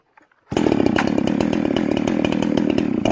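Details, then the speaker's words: Ported chainsaw tuned on the high-speed jet, revving at wide-open throttle off load with a rough burbling four-stroke stutter from a rich high-speed mixture; it cleans up and pulls hard under load in wood, then four-strokes again when lifted out. "now you guys hear that four-stroke four-stroke four-stroke you actually get it some load on it it cleans up and pulls hard the minute i pull it up it starts four stroking again"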